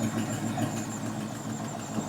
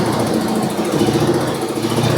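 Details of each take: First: 1973 International Scout, long-derelict, carbureted, choke closed: even, steady idle pulse with no misses or stumbling; normal idle. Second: 1973 International Scout, long-dormant, fuel newly reaching it from the tank and filter: rough, uneven idle that sags and fades as if starving and about to die; owner suspects fuel starvation or the engine choking itself out with the choke down.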